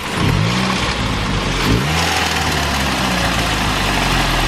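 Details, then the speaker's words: Car with a leak causing a misfire and check engine light, temporary fix until a new coil: uneven, lumpy idle with a wavering note and no steady beat; engine runs rough and unhealthy, oil level fine. "That don't sound good. That sounds bad."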